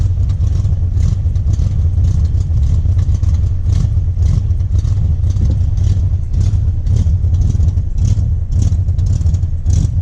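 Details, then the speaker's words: Jeep Wrangler 4.2L six with Comp cam, before the timing fix: deep choppy idle with uneven loping beat and some clatter; ignition timing over-advanced to 57 degrees floods it until it clears, mistaken for cam lope. "so when you start it with 57 degrees of timing basically it's just like flooding itself out you're dumping fuel in there way before it's ready for the ignition cycle"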